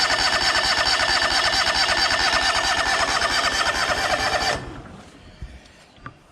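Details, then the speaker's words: John Deere LX188 riding mower, first start of the season after new battery install; steady cranking about two turns a second for four seconds without catching; hard starting. "Got fuel. Try again, see what we got. Oh, there we go. Definitely didn't want to start after the second."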